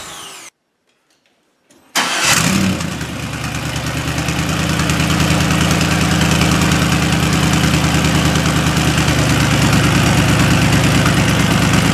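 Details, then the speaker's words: 1972 Corvette restomod with LS fuel-injected V8, 4-speed automatic and custom side-pipe exhaust, started after electric fuel pump primes: quick crank, clean catch, smooth even V8 burble at steady idle. Normal idle. "How smooth and quiet everything is."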